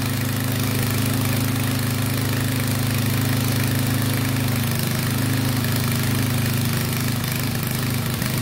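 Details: 8hp Sears rototiller single-cylinder engine after carb clean and oil change, restarted once the fuel shutoff was opened; holds a steady, even low drone with no misses or knocks, running smoothly now that fuel flows.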